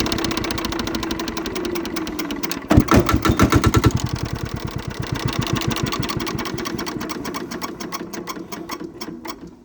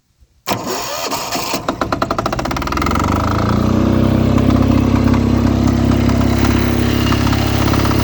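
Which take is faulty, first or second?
second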